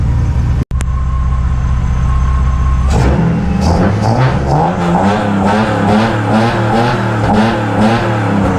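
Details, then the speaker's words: Widebody RHD BMW E36 on open individual throttle bodies with an alpha-N no-MAF retune, after balancing. Smooth, even idle rising cleanly into crisp revs with no misfire; slightly smoky but running normally. "Little smoky there, but it runs. Sounds absolutely fantastic."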